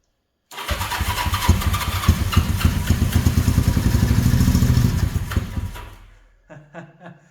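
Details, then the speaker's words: 1970s Honda CB350, long stored, with oil added to the cylinders and carb cleaner sprayed into each carb: uneven cranking with a few ragged catches for about five seconds, then it dies. It briefly fires on the fluid, so fuel is suspected not to be reaching it; the tank is badly rusted inside. "Yes, you heard it stirred up."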